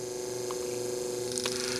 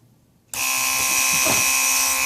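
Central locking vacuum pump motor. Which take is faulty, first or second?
first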